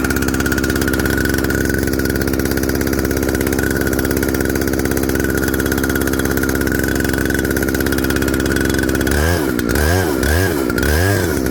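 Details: Jonsered 2095 chainsaw with 36" bar, reassembled after fitting a Husqvarna 395 XP handguard and an eBay chain brake band: a steady, even two-stroke buzz holds speed, then a few rhythmic dips near the end; normal running, healthy.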